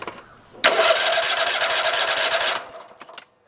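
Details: Kohler 7000 series 24 hp twin after replacing a mouse-damaged ignition coil: engine catches instantly and runs strong and even for about two seconds before shutting off; ignition firing properly, dead-cylinder fault repaired.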